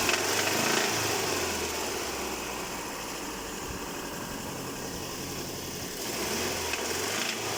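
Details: Engine knocking (Мотор стучит): fairly quiet engine with a regular light knock, about four beats a second, over a hissy background; cause unclear.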